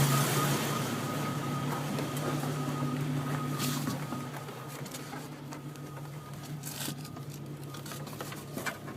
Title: Rough idle